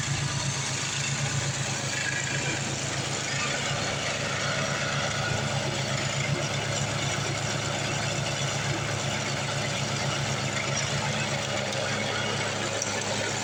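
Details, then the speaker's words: Craftsman 826 track-drive snowblower after the broken auger belt was replaced with a 31-inch belt: even, steady engine drone under load with a constant spinning rush of snow and no slipping or squeal. Normal running. "All right, let's fire this thing back up, see if we can throw some snow. Guess if it would help if we put gas in it. Now let's blow some snow."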